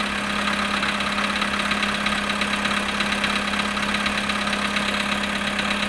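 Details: VW Polo sedan, cold start at -7.5°C after sitting 14 hours: a faint, regular tapping knock of about two per second over the steady idle hum; the cause is unknown.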